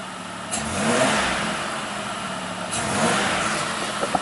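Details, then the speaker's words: 1993 Buick Century 3.3 L V6, idles fine but on quick throttle snap flares then sags and stumbles; under-reporting mass air flow sensor leaning it out. "The symptoms are it starts up, it idles fine, but as soon as you get on the throttle, it just kind of falls on its face."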